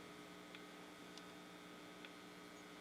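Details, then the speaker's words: RCA Victor R35 radio, warm and powered on, with nothing playing: faint, steady low hum with a few light ticks. The owner hears the set as unhappy and later finds a dead tone-control pot, but the hum's cause isn't confirmed. "Okay, well, I've been playing, and you can hear from the humming that this is not making things entirely happy."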